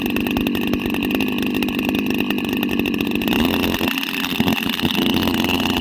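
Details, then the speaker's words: Petrol engine of an agricultural engine drone running at high revs, steady harsh raspy buzz with no misses or knocks, about as loud as a bike without a silencer; runs normally but excessive noise is a drawback. "Me బైక్కి silencer పీకేసి bike నడిపితే ఎలా అయితే sound వస్తుందో దగ్గర అంత సౌండే ఈ engine నుంచి కూడా వస్తుంది."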